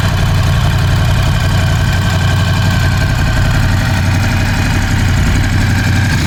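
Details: Ducati Scrambler 1100 V-twin after replacing the horizontal cylinder and piston: loud lumpy idle with a steady low thump and faint knock on each firing; suspected piston slap, cause unclear.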